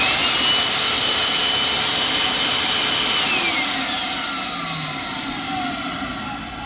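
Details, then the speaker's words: Dusty, uncleaned TriStar vacuum, needing only cleaning and TLC: steady high-pitched motor whine with an even rush of air, then a smooth falling spin-down at switch-off; motor sounds okay, normal run. "So, motor actually sounds okay. Let me Let me run that again. You can hear it just a little better."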